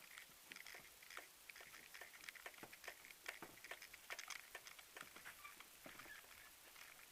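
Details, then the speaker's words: Honda CR-V III, rear right strut area with arch trim removed: faint sharp irregular clicks as body is rocked, engine off, heard from inside and under car; rear suspension click, source not yet found. "Щелчки идут."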